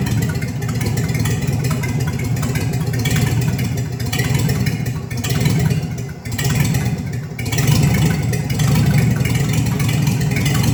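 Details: 1954 Chevy 3100 truck with later-model 235 six, dual carbs, new short-shaft water pump, old gas still in tank: steady deep even idle, smooth low rumble, no knocks or misses; sounds real good.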